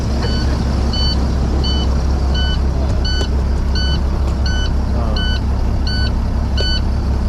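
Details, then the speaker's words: Semi truck at idle with check engine and stop engine lights, reported as engine noise: steady cab warning beep about twice a second over a low diesel idle; no knock in the motor, the complaint was the beep. "Doesn't have no knock in the, or no noise in the motor. He's talking about the beep sound that's going off in the truck."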